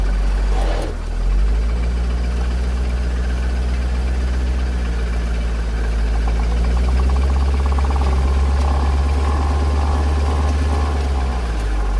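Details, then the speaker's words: 40,000-mile 2004 C5 Corvette, rear anti-sway bar camera: deep rumble with fast chatter during slow right or left turns and sharp clunks shifting forward to reverse; worn limited-slip differential, not wheel bearings. "the clunking noise was made mainly when I went from forward to reverse or vice versa, and the chatter and the vibrations were pretty much only when I was at slow speed making a right or a left-hand turn."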